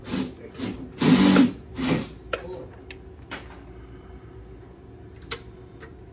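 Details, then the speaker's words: EZGO electric golf cart (PDS) that won't run, about 32 volts: rapid bursts of solenoid clicking in and out, then scattered single clicks; solenoid chattering from a faulty motor controller. "still know it clicks in and clicks out real fast"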